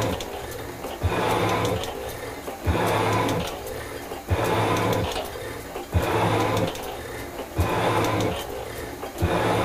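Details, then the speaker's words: Metal shaper cutting a cast iron block to width, with the feed raised to setting 3: even cutting strokes about every 1.5s, each with a hiss and a clack at reversal. It takes the heavier feed cleanly. "I'm gonna bring it in my hand here that sounds pretty good donut let's see if it'll take the feed yes it will"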